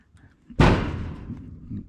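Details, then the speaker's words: Ford Bronco kick panel area being welded: one sharp hollow pop as the bowed sheet metal is pushed and snaps through (oil-canning); plan to cut welds loose and flex out the bow. "that pop? So we're gonna try to address that. Probably cut these welds back here loose and try to flex that a little bit and maybe try to get that bow out of it."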